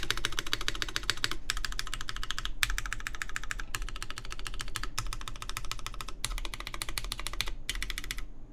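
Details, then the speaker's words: Baron Boards BP One, aluminum full plate, GMK Terminal keycaps, lubed Cherry MX Black Clear Top switches with TX films, lubed Zeal stabilizers: fast clacks with hollow ringing undertone; case resonance, most audible toward the open back and top row, where there is more space under the keys. "But yes, so there you can definitely tell there's an amount of resonance in the case. More audible towards the back of the board, towards the part that's open, and towards the top row really, where there's a lot more space below the keys."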